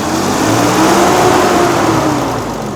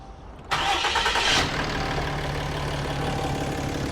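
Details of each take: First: Cummins diesel work truck after exhaust manifold replacement with a BD manifold: steady, even diesel idle with smooth low drone and no ticking or puffing from the manifold; normal idle, repair successful. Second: Cummins diesel work truck, 239,000 miles, no check engine light, power-braked: rough uneven puffing tick over clatter; squeal began only with the exhaust brake, then worsened to nearly constant; exhaust manifold leak.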